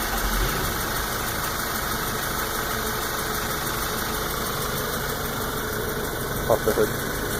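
Light, uneven ticking rides over a steady petrol engine, faint against the general mechanical noise; a lower-end tick of unknown cause.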